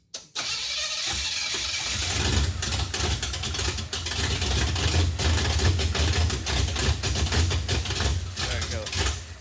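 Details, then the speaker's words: Junkyard 1957 Chevy with new rubber fuel lines: steady cranking about three turns a second, never catches; not picking up fuel, tank possibly empty from leak or pickup sock clogged, suspected. "not picking up any fuel so either there's nothing left in the tank cuz it leaked out on the floor or maybe the sock at the bottom of the pickup is just clogged or something"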